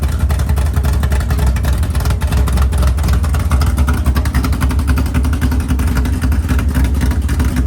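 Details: Freshly built 500ci big-block Mopar in a 1969 Barracuda, first start in the car: idling near 1000 rpm, deep loping big-cam rhythm, no knocks or misses; normal cammed V8 idle.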